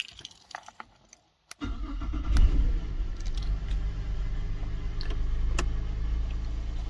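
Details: 2006 Holden Berlina with a bad ECU causing no-crank no-start, started using a workaround: keys jingle, a brief crank, then the engine catches at once and settles into a steady, even idle; normal start.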